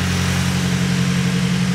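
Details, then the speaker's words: Nissan Silvia SR20DE turbo with a new clutch, first start after transmission install; steady low engine drone with an even pulse, no chatter, grinding or squeal going into gear, normal smooth clutch engagement. "Punches in. Not making any noise. Goes in the gear. So, no weird noises. Clutch is engaging nice and smooth."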